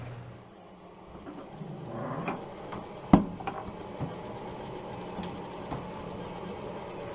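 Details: DE-N35FY clothes dryer after a fix for a bad abnormal noise: belt replaced, disassembled, cleaned and oiled. Soft motor start, a couple of light clicks, then a low, even drum rumble with no squeal or scrape; runs normally.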